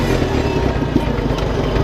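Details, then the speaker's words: 1966 International Farmall Cub tractor with carburetor rebuilt 5-6 years ago, at full throttle, about 1800 rpm: fast, even engine beat held steady without misfires, knocks or surging; normal healthy full-throttle running. "They run about 1800 RPMs, full throttle."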